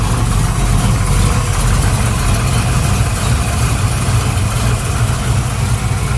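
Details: V8 with vacuum advance moved to another carburetor port: lumpy, slightly uneven V8 idle with low throb; better but it lacks ignition timing, the power valve is wrong and there is a lean spot.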